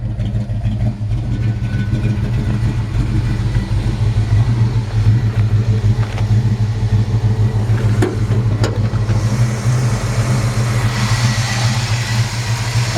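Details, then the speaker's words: 1955 Chevrolet Handyman Wagon, warm at 160 (likely 160 thermostat), good oil pressure: steady, even V8 idle with a smooth low burble, slight cam lope, no knocks, misses or whines, no smoke; healthy. "It's got a nice sounding exhaust. Sounds like it's got a little licking cam in it. No smoke."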